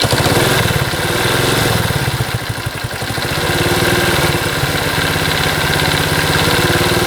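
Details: Honda Cub single-cylinder, 65,000 km, idling: light, quick regular tick over the exhaust beat; top-end ticking noise, cause not yet found, compression test being done.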